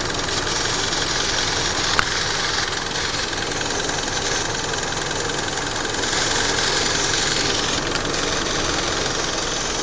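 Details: Mitsubishi Lancer engine idling with a light, uneven ticking and knocking of about three or four beats a second over a hissy background; the exact fault is unclear.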